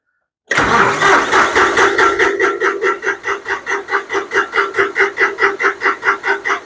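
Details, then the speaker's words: John Deere 5055D after fuel-tank sludge was cleaned out: the starter cranks the diesel in an even chug for several seconds, but it won't start. Air in the fuel line is suspected, it needs priming, and the battery is running down. "yeah I got a little air in the line might have to prime it we run the battery down"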